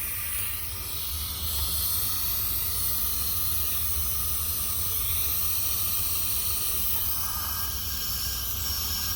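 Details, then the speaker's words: 2020 M8 engine, 35k km, leak-down test on cylinder 6 at TDC (low compression earlier), 90 psi in, 23% leakage: steady, even rush of air, far louder at the intake than the exhaust, pointing to a leaking intake valve. "Okay, I hear much more the intake than the exhaust. I can hear the exhaust, but the intake is much more."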